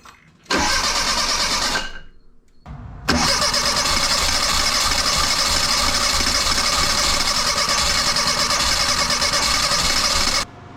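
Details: 1984 Bertone X1/9, freshly rebuilt engine, new fuel pump at about 36 psi, spark and compression good: short crank, pause, then a long steady crank with faint uneven catches that never pick up; no-start with only cylinder three firing, three bad fuel injectors.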